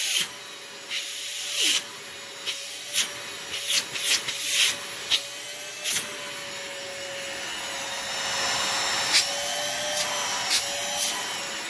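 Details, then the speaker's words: Old vacuum with separate floor/tool and carpet switches, first power-on: steady high whine under a loud rushing hiss with irregular knocks and rattles; motor sounds unhealthy, though the brush roll spins. "headphone warning this unfortunately does not sound the healthiest so we've got a warning okay turn down your volume now"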